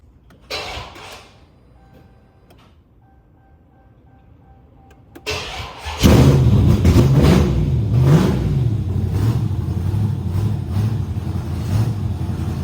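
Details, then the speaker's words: Dodge Charger Scat Pack 392 6.4L HEMI on its first start after a Texas Speed cam install: a starter whir, then a deep, choppy, loping idle; a healthy cammed idle. "That sounded good. That sounded good. Yeah, she sounding good, bro. She is sounding good."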